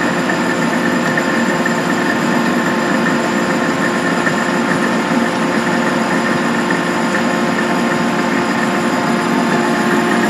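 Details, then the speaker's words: Van Wert coal stoker under a Gentleman Janitor JG5 boiler, running on a heat call after six days on pea anthracite: constant whir with steady whining tones and rattly buzz; gearbox noise from excessive end play in the input shaft carrying the drive belt and fan. "the input shaft which you got the drive belt on this side and the fan on that side it's got a lot of end play so that's what all that noise is"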